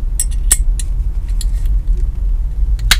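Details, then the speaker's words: Wheelchair tie-down securement in an accessible van: the occupant belt connector is clipped in over a deep van rumble, and the last crisp, solid click confirms the belt is properly secured. "make sure you hear that clicking noise to make sure you have secured that properly okay that's very important"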